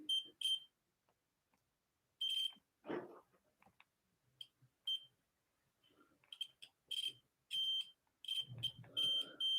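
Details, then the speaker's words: Nintendo Switch with no power: multimeter continuity test gives sharp beeps to ground at the capacitors to the far left of the M92 chip, which are shorting out. "yep just as i expected it's always this one so the cap to the far left of the m92 both of them are shorting out"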